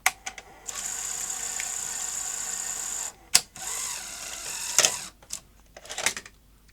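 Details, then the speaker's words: Sony SL-HF900 SuperBeta NTSC VCR after fixing the loader spring: steady motor whir, then sharp snaps as the cassette is ejected quite forcefully; loading and eject work properly. "quite vicious where it ejects the tape at the end but that spring was the problem"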